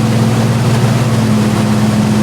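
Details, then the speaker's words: Rebuilt Jeep 4.0 engine on first start-up, clutch in, neutral: it fires right up to about 2200 rpm high idle, then settles near 1800 rpm, with good oil pressure; steady even drone with slight speed drift, no knocks or ticks, running healthy. "all right here we go fire right up about 2200 rpms there"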